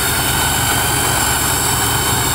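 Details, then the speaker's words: 1995 Chevrolet S10 with TBI at warm operating temperature: constant hissy high-pitched squeal/whine at idle, not pulsing, fading when the accelerator is pressed; vacuum leak confirmed as a bad TBI throttle body base gasket. "where you can hear it hear that high-pitched squeal goes away whenever I push the accelerator now it comes back it seems like accelerator down"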